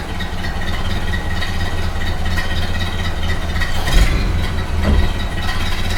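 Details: 1929 Ford Model A four-cylinder after installing a cleaned oil pan, rope seal and oil filter: low, steady idle with an even beat, no knocking or misfire; idling really well.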